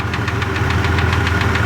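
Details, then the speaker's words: 2002 Jeep Grand Cherokee Laredo idling a little smoky with a sharp, even click-click tick over the rumble, cause not yet figured out; the owner also mentions a knock to fix and a vacuum hose he thinks is missing a part. "ittle smoky there and hear that click click click click click i gotta fix that gotta figure that out"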